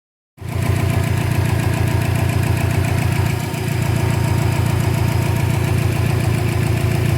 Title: 2012 Subaru Impreza WRX Engine idle popping noise - loose intake manifold